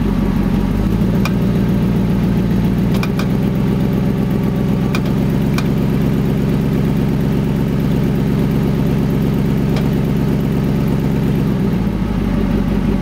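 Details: Vehicle power-braked until about 34 seconds, then put back into drive. Engine drone rises under load and holds steady, with a few faint sharp ticks at the clicking point; an exhaust leak is suspected, not confirmed.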